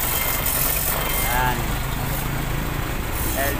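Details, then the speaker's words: Yamaha YTX motorcycle after cylinder rebore with new valve seals, base and head gaskets, fixing a sudden engine stall: steady, smooth single-cylinder idle, no ticking or knocking; noise gone, normal idle. "So yan guys, okay na yung ginawa natin na rebore sa YTX. Ayan, nawala na rin yung ingay"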